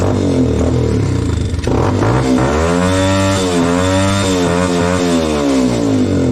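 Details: Dirt bike after a broken spark plug, started with the plug seated on five extra washers besides the original gasket; fires, settles, then revs up and down with clean smoothly rising and falling pitch: running normally.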